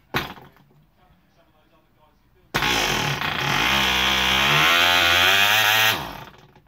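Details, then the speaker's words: Small old RC glider diesel model engine: after a pause fires and buzzes high for about three seconds then dies abruptly; runs briefly then cuts out, cause unknown. "it's all it's sort of run I have had it running for longer than that"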